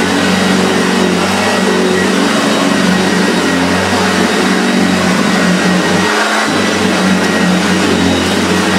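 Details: Hoover Junior 1436 Mk1, early plastic-hood model, in very good condition; steady motor hum at even pitch with one brief dip near the end, smooth and sounding in good order. Normal running.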